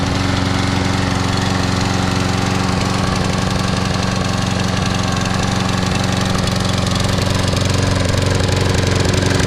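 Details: Free Troy-Bilt 21" mower, Briggs & Stratton 675 series auto-choke engine, after carburetor and tank cleaning, new plug previously ungapped: fast mostly even beat with an occasional stumble; slight intermittent misfire, cause unknown.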